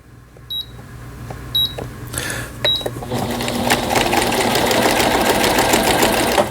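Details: Brother 847 computer sewing machine, made in Japan, 220V, after repair; quick even needle chatter about 3.5 stitches a second, smooth motor hum, sewing alphabet letters (LION); healthy stitching.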